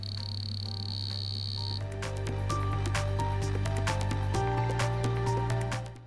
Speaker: the on off button then the emission button you will hear a continuous clicking sound apply the laser beam to the laser test cell the beat changes according to the frequencies and thus indicates that your device can be used